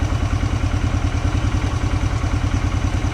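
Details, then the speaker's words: 2006 Polaris Hawkeye 4x4 ATV, first start after 10 months sitting, warming just off idle: uneven single-cylinder idle with a dull knock about three times a second, attributed to the clutch. "I don't know if you can hear it got a little knocking in there that is the sound of the clutch"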